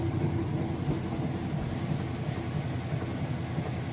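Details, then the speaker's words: Used Kenmore top-load washer with a heavy jeans and towel load in its final spin cycle: a steady low hum with an even rumble at full speed, no knocking, banging or scraping; spinning normally. "alright and here we go into that final spin cycle now as she didn't hear it's nice and smooth I'll show you that it is spinning nice and fast"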